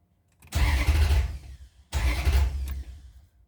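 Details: Maserati GranSport hard starting: two separate cranking bursts of about a second each, engine churning but never catching.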